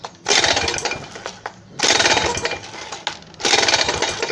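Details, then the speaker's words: WMX motorized bicycle two-stroke engine, loose engine mount, pull-started: three bursts of harsh metallic clatter. "Então eu nem vou ficar puxando muito, mas vocês viram o barulho estranho."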